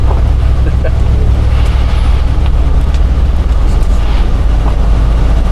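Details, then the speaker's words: 1962 Cadillac convertible with a 390 V8 (about 300 hp) cruising in rain: low smooth engine hum under steady road rumble, no knocks or ticks; quiet, smooth ride and a healthy engine. "Yeah, this is a lovely smooth riding car. You know it's quiet when you can hear the raindrops hitting the roof."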